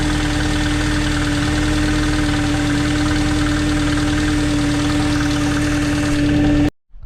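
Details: 2005 Mercedes C230 Kompressor after replacing all four spark plugs and ignition coils for a P0301 cylinder 1 misfire code: smooth, even idle with a steady hum and no stumble or miss before shutdown; running cleanly.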